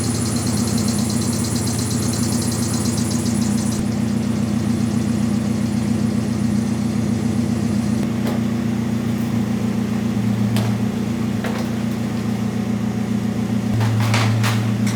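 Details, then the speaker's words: Nissan 240SX with freshly built engine warming up at idle in neutral, hood closed: light quick ticking because the hood pushed the temporary angled intake, shifting it so the fan blade is hitting the shroud. "That little ticking. I know exactly what that is. It pushed the intake and now the fan is hitting that shroud."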